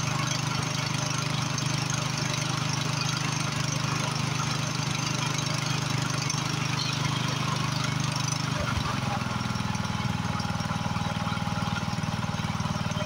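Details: Free Husqvarna YHT20k46 hydrostatic riding mower, hood closed, after its blown Kohler Courage engine was swapped for another motor, holds a steady, even thrum at constant speed with no knocks or misses; it runs good.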